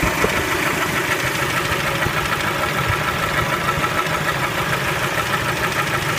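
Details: Spectra engine at idle: a sharp, rapid knock of roughly three a second, even and persistent, rides over a steady idle; engine knock, source undetermined.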